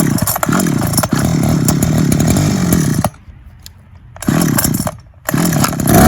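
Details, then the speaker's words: 2004 Ryobi two-stroke hedge trimmer after carburettor clean, new diaphragm, gasket and fuel hoses, engine service and greased blade gearbox; cold start, steady buzz dipping briefly off throttle then picking back up cleanly, running fine after repair. "i greased the gearbox for the blades and everything should be good now"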